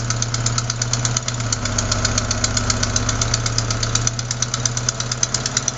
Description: Причина данного стука - пропускала прокладка выпускного коллектора у 4 цилиндра.